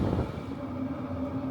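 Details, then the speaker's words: Hcalory Toolbox Heater 2 diesel heater turned down to level 6 (~50%), drawing ~25–30 W, recorded from about 7 ft; steady low whirr and soft hum, quieter, no fuel pump tick; normal running at reduced heat. "and that definitely makes it a little quieter no fuel pump tick I can't hear one can you"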